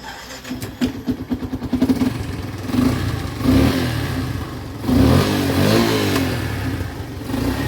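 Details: Yamaha FZ-S motorcycle after timing chain noise and starting problem repaired by resetting timing: catches after brief cranking, revs up and settles smoothly with no rattle or chain slap; running normally.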